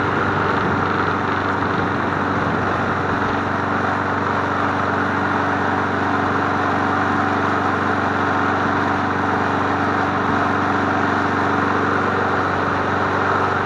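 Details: MTD Bolens push mower 11A-414A065, revived and cleaned, started after priming three times to warm up before an oil change: steady, even drone at constant speed, no misses, surging or knocks; runs clean and healthy.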